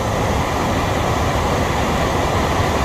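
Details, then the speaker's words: HVAC furnace blower after blower wheel replacement (the old wheel had caused a screeching noise), tested before closing up: smooth, steady rush of air with an even low hum, no scraping or rubbing; normal blower operation. "isn't that beautiful that is beautiful no horrible scraping sound"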